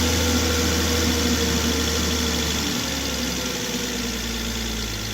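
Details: Volvo XC90 that sounded like a diesel, timing belt suspected of jumping at the crank, run on a booster pack after a crank adjustment: steady, even idle with a soft low thrum and no clatter or ticking; cam adaption still slightly advanced.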